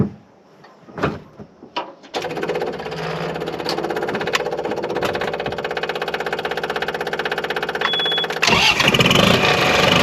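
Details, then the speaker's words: LX665 engine started and idling with the exhaust removed during exhaust repair: loud, sharp, raw popping pulses about four per second after a short crank, no muffling. "see what it sounds like without without exhaust on it i don't know if you like it"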